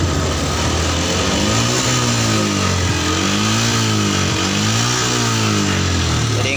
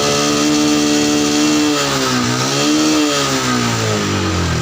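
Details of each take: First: Yamaha Jupiter MX New 135, unserviced for six years, after a carburettor service that cured its stumbling under throttle: smooth, even revs rising and falling with no stumble; road tested to 80 km/h without hesitation, though it smokes blue, possibly needing an engine rebuild. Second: Yamaha Jupiter MX New 135, carburetor not serviced or opened for about 6 years: revving single-cylinder wavers and dips instead of climbing cleanly; dirty carburetor jets suspected, not yet confirmed.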